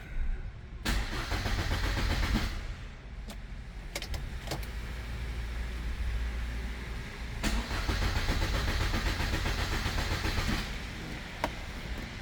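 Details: MG ZR found neglected with rodent damage: starter cranks in repeated bursts about four beats a second, but engine never fires; no RPM signal, no fuel pump heard; immobilizer suspected, not confirmed.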